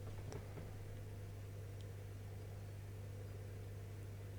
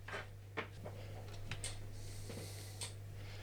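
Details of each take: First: Asus S330U laptop, previously dead from a shorted capacitor, powered after repair drawing 2.3 amps as Windows loads: quiet, steady low hum with soft airy hiss that never changes; fan spinning smoothly and healthy. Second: Dead Asus S330U laptop on power adapter, faint irregular clicks over low mains hum; power supply hiccups from a short on the main power rail, traced to a shorted capacitor whose removal fixed it.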